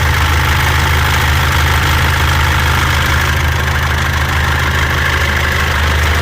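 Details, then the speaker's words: 2014 Mitsubishi L200 Triton 3.2 diesel, 254,000 km, idling: fast, uneven metallic rattle like a rattlesnake, intermittent, worse when hot; worn timing chain, timing chain kit replaced. "isso aqui é o barulho da corrente comando Ó tem hora que para tem hora que faz a gente vai trocar aqui o kit Corrente Comando dela"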